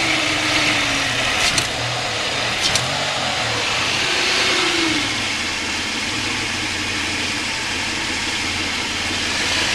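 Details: Mitsubishi warm restart after fixing fuel pressure loss that caused long cranks and rough idle: a steady idle with no stumble or miss, and a faint alternator squeak almost gone. A little fuel-system pressure loss remains.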